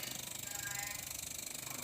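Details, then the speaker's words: LG two-door jumbo inverter refrigerator, sensors replaced with 1K resistors for PCB testing: fast, even pulsing buzz with faint hiss as the compressor starts and its RPM keeps rising; voltage barely reads (maybe 1.5 V); compressor ramping up normally. "RPM terus meningkat."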